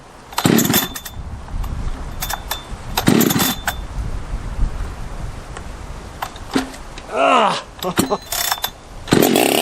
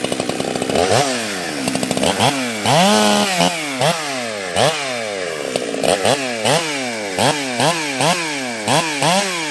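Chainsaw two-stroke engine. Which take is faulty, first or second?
first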